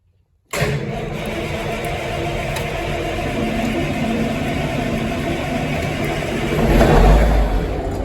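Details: 1973 Ward LaFrance fire engine, Cummins turbo diesel, Allison PowerShift, after coolant leak repairs and long sitting on battery charger: from silence catches almost at once into steady, deep, even rumble; clean cold start.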